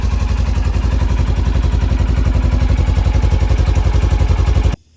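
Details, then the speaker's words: Fire-damaged Polaris RZR rebuilt and started with starting fluid: steady, even putter about three or four pulses a second with no misses or knocks, then clean shutoff; engine running healthy. "already guys as you may have heard i did get it running it was having a little trouble starting but i just had to throw some starting fluid and it started right up"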